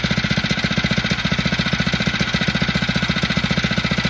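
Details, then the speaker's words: Phatmoto motorbike with carburetor and idle problems, restarted with the choke about 1/8 open: a quick, even putter with no stumbling or hunting, a normal warm idle; once warmed up it starts and runs with the choke off. "now this time I am getting a nice and smooth Salon the engine he not searching dropping going higher nothing as you can hear it looking pretty good"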